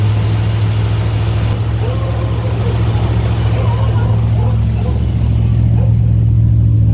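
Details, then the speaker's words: 1963 Ford F100 Y-block V8 with newly installed Holley 2300 carburetor, Patriot headers and Cherry Bomb mufflers, radiator not yet fitted: deep, steady burble with even rhythm and smooth swells as it revs, no knocks or misses; normal idle. "alright guys you heard it here first the thing sounds amazing purrs like a kitten and it sounds so good through those Patriot headers in the cherry bombs"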